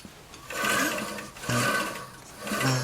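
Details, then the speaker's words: Replacement electric motor salvaged from an old air compressor: three strained low roaring surges about a second apart with rough buzzing; it popped a breaker and the motor seems no good. "the motor doesn't sound good though"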